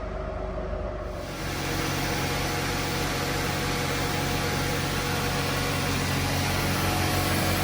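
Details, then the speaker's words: Mercedes W124, recently restarted after sitting six weeks, idling while being moved after fitting refurbished monoblock wheels: steady, even low hum with soft regular beat, no misses, knocks or ticks; runs smooth and healthy. "that engine runs so smooth"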